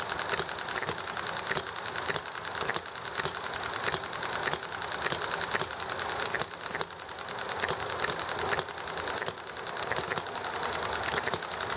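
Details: Enjomor small hit-and-miss engine running sweetly: sharp firing pops every half second or so, coasting between, under clattering background of chatting, highway and alley traffic; normal hit-and-miss running.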